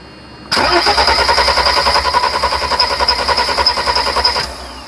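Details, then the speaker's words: 1991 Mercedes 300SL with no-start problem: steady starter cranking at about three and a half turns per second for four seconds, never catching; injector cracked open shows no fuel reaching the injectors. ">> No fuel. >> Still don't see no fuel."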